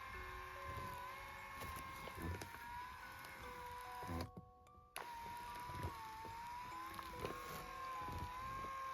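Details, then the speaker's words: Lourdes massage cushion L (AX-HL168) running under body weight: steady motor whine with gritty "buzz" and scattered knocks, heard near the top of roller travel, fine going down; worn up-down rollers leave a gap, noise from gear/motor area. "この音が気になります。これ聞こえますか？ここを押さえると下に下がった時はいいんだけど、上のこの辺りで音がする。"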